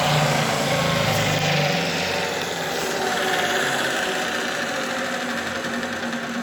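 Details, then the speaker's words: Junkyard 75 x 2000 mm belt grinder after reconnecting electrics: loud rough running with uneven rattle about four times a second over motor drone; severe looseness noticed, suspected cause of its scrapping, not confirmed. "works, but you can hear it for yourself how. This was probably the reason why this grinder was found in the scrap yard."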